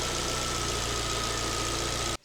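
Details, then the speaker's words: Alfa Romeo MiTo QV 1.4 TB petrol after timing belt change, warming up in winter, coolant at 70°, thermostat not yet open: steady even idle with faint constant high tone, no knocks or misses; normal. "It's been running for a while and the temperature is 70. Soon the water will circulate through that radiator."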